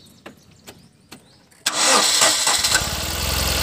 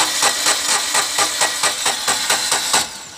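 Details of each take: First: 2012 Tata Nano petrol, which had misfiring, jerking and a check-engine light, starts cleanly after a few clicks and brief cranking, idling steadily after the faulty plug wire was replaced. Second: 2012 Tata Nano with misfiring and the check-engine light on, cranking on its old ignition (code) wires: the starter turns steadily at about four to five pulses a second with no firing, and it won't start; faulty ignition leads.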